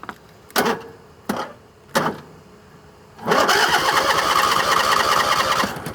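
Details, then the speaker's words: Craftsman riding mower that ran on one cylinder the week before, cold and unstarted all day, hour meter 785.4, cranked without choke: short tries, then a steady three-second starter whir that never fires. Cranks but won't start; cause unconfirmed. "Let's see if it starts without choke. Probably not."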